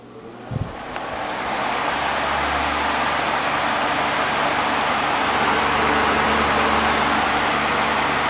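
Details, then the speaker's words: Vintage Dayton 12-inch HV fan after cleaning, oiling and blade reinstall: click at switch-on, airy rush building over two seconds to an even steady whoosh without rattle or shake; running smoothly. "Yeah, that's not bad. It's running pretty smooth."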